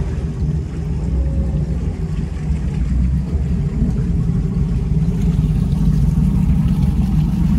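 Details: Twin Crusader 350 marine engines in a Pacemaker 36 SF on a test run after fixing overheating caused by broken belts and a torn hose: deep even rumble holding steady under way with no misses, surging or knocks; performed well.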